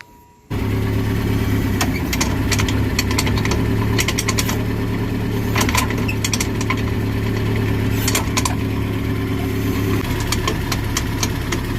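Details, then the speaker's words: 2006 Nissan pickup, engine running in gear with a rear wheel lifted: loud, rhythmic driveline clanking at about four knocks a second. The cause was a worn driveshaft U-joint at the differential yoke. "Bueno amigos como lograron escuchar es un ruido muy fuerte lo que vamos a hacer es vamos a verificar que nuestra cruceta que ven aquí esté en buen estado"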